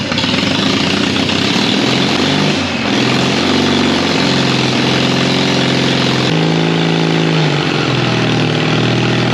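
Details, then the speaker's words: 1939 Caterpillar D4 (RD4) crawler with D4400 diesel, after final assembly, valve cover off for head torquing: steady, even low idle with firm regular beat, no knocks or misses; running healthy, some wet stacking, still needs break-in. "I think we're in business. I think we got some wet stacking, but it needs broke in."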